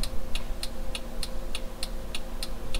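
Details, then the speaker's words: 2002 Toyota 4Runner after LED bulb conversion with a new adjustable flasher relay, engine idling: crisp relay clicks about every 0.3 seconds, turn signal still flashing too fast before the relay is adjusted. "all right well give a little test still flashing fast"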